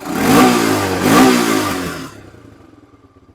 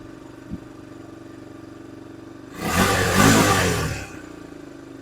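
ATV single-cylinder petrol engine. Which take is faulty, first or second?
first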